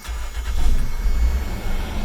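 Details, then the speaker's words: 1995 Toyota 4Runner, crank-no-start with code 12 and no spark, fixed by a new distributor: engine catches on the first crank and settles into a steady, even low idle with no misses; normal start and idle. "now if we come inside now we crank the engine everything should be good"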